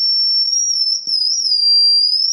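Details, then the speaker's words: Feedback from a self-built Epiphone Valve Junior-based tube amp head with Billy Gibbons mods, which suffers very low output: above volume seven a loud piercing high whistle holds steady, wavering slightly in pitch; feedback to be investigated before repair. "now it's at seven obviously if I go above seven you're getting that feedback right there which is something we have to look at as well"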